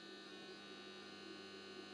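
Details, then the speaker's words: Bench power supply feeding a repaired Rockford Fosgate Punch 225.2 amplifier (circa 1998-99, two shorted output transistors found) during a 4-ohm power test: low, steady electrical hum with faint buzz; normal under load. "my power supply will make some noise i just start and by putting up the remote cable to the amplifier"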